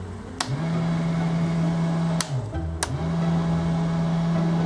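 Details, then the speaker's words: 1974 VIP Tri-Hull boat with rebuilt Mercruiser 3.0, after winter storage, switch checks with engine off; steady low hum with switch clicks and brief dips as it restarts: blower motor running normally. "Blower, I can hear it, so that's working."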